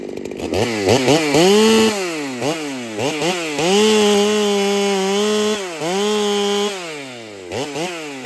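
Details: Ported Holtzfforma 395 two-stroke chainsaw after build changes, cutting: revs hard, bogs into cuts, pitch dips; cut RPM and cutting speed about the same, owner feels it runs slightly worse; rings may need seating; carb fattened.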